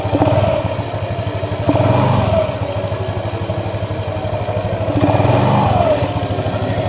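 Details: Yamaha Nmax scooter after CVT repair, abnormal CVT noise caused by a loose front pulley nut left undertightened at installation, now tightened: road test pulls away smoothly, engine note rising and falling with throttle, no belt-drive rattle or knock.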